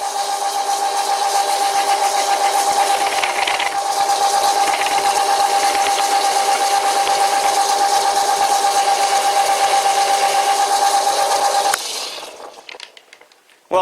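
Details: Cutting chatter on an old WW2-era Fischer lathe now running a V-belt instead of its slipping flat belt, fed by hand: steady high singing squeal with a rattly buzz through the cut, then stops; poor finish, owner calls it pretty bad.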